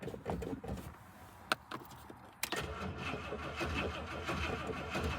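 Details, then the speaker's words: 1967 Rolls-Royce Silver Shadow, just back from the shop, started after pumping the throttle: starter turns over sluggishly with uneven labored chugs before catching into a rough idle; slow crank from a low battery needing replacement. "This battery's a little low. I don't know what, it normally fires right up, I gotta be honest. But it's because the battery's low, and I need a new battery for it."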